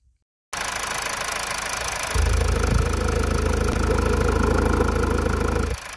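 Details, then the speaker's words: 2014 Mazda 2.2 Skyactiv-D diesel idling, heard through a screwdriver held on the alternator, diagnosing an engine noise complaint at low speed in 1st gear, 1000–2000 rpm: steady even hum, no rubbing or rattle; alternator normal. "the generated sound is regular without disturbing noises and we do not hear any noises transmitted from other engine components"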